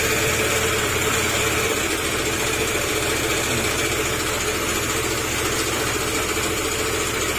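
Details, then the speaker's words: Yamaha NMAX 155 scooter with oil and coolant mixed, run with the drive pulley removed: harsh gritty grinding through the idle like stone being milled, no clean rhythm. Tensioner, camshaft, bearing and valve clearance are to be checked; camshaft damage is the finding. "At check mo yung kanyang tensioner, tapos yung camshaft, yung bearing, kasi may kakaibang sounds na parang kala mo may kinigiling na bato."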